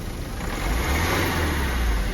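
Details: Ford EcoSport after full engine rebuild for oil consumption: climbs smoothly from idle to steady raised rev without misses, knocks or rattles; normal revving.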